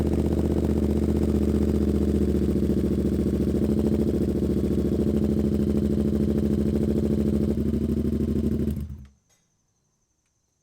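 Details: 2023 Yamaha R7 after oil and filter change with Yamalube 10W40 and K&N filter, warming up a minute or two to circulate oil: steady even idle, smooth low pulse, no knocks or ticks, then clean shutdown; healthy, no leaks.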